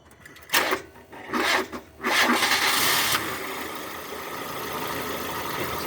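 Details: Nissan Almera N16 with a cranking complaint, voltage drop tests showed good power and ground circuits: a few short uneven cranking bursts, then a longer labored crank before a rough idle; sluggish starter, fault traced to the starter motor itself.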